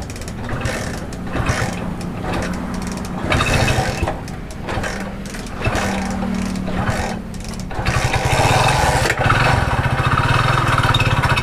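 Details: Hero Splendor single-cylinder, before repair, that made a noise and stalled repeatedly: uneven idle and revs with a heavy knocking beat that follows engine speed; mechanic suspects the crank, pointing to worn crank bearings.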